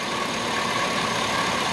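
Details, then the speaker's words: 5.3 LS Chevy V8 in rusted Tahoe donor chassis, previously non-running: steady even hum at idle with no ticking or misses, much quieter than before; normal idle. "But look at how smooth that thing runs"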